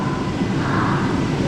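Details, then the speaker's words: 2004 Chevy Silverado, first start after replacing the 4L60E transmission (3rd gear had failed), on a jump box with fluid being filled: steady drone with no clicking or screaming, indicating the torque converter is seated properly; a small exhaust leak is suspected. "Grandpa's back there he's about to put the key in her gotta listen carefully now all right so far so good no clicking noises"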